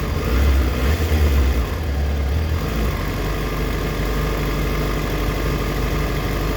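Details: Warm 2004 Yamaha FZ6 (immobiliser eliminator fitted) settling to idle after a rev, rpm sagging as low as 970 versus the specified 1260-1320 warm, with an uneven stumbling beat; misfire at idle, owner suspects a failing ignition coil (common age fault), unconfirmed.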